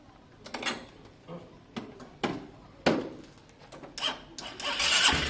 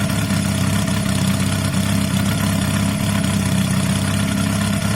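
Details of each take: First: Honda CB250 bobber after electrics and carb work: a few cranking clatters, then runs loud and ragged with a tapping rhythm; engine knock suspected, oil to be checked. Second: Honda CB250 bobber, 68,000 miles, after carb and electrics work and sealed exhaust, earlier knocking: smooth, even low idle with a steady beat and no misses, knocks, rattles or exhaust blows.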